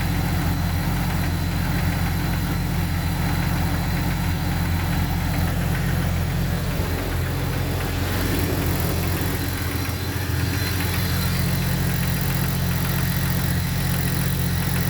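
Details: Jeep XJ 4.0L straight-six at idle: a dull, hollow knock about twice a second through the low rumble; suspected piston slap, likely cylinder 6 and possibly 5, not confirmed.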